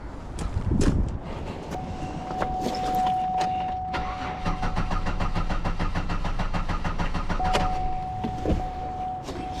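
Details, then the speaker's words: 2009 Buick LaCrosse crank no start: starter whirs steadily with quick even compression pulses for several seconds, engine never fires; no crank sensor signal. "You know, it just bumped up a drop. But yeah, this thing needs a crank sensor."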